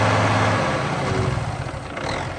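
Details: Cat C15 diesel, 900,206 km, 23,916 hours, running while checking blow-by: deep, steady rumble at idle with an even beat and no knocks or misses; sounds healthy.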